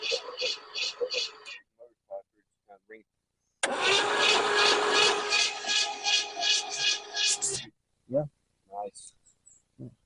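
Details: 1968 Camaro 327 V8 sitting 15+ years, new starter fitted; quick, even whirring as the starter spins the engine over without firing, light regular compression pulses; starter working, some compression.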